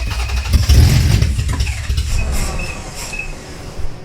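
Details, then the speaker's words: Toyota MR2 project with 3VZ engine, first start: engine catches and stumbles with uneven, lumpy firing and loud bursts; rough running, suspected vacuum leaks between inlet and centre manifolds, not confirmed. "on behalf of oh that sounds like a capophony of nothing i ever want to hear"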